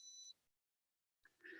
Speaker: See, you hear that beep? Yeah. That means my lead acid batteries are, that's the inverter beeping that it's 11 volts.